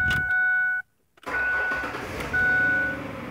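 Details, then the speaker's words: Ford 4.0L SOHC V6 cold start after fix feeding external oil pressure line to front timing chain tensioner (sludge-restricted feed): smooth quiet idle with no chain rattle, good oil pressure, dash chime. "nice and quiet off for the bat sitting there idling good oil pressure"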